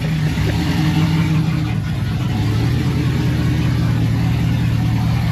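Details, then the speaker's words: Chevrolet Silverado after sitting almost two years, engine warming up after alternator bracket, water pump and intake manifold reinstalled: deep, heavy rumble swelling with revs and boomy at idle; exhaust too loud and droning, resonator considered. "it's pretty loud I'm going flip the camera around I'm going to turn it off and flip it around so you guys can hear it it's kind of loud"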